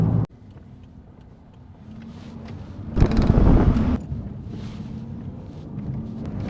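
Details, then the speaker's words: Suzuki Ignis Sport on the road at slow speed (about 20 mph) with suspension clunks present; a horrendous low steady drone under road and wind noise that swells with speed, a worn wheel bearing. "if you can hear me over this absolutely horrendous wheel bearing noise in fact I might pull off and go through the back Lane so I can go a little bit slower"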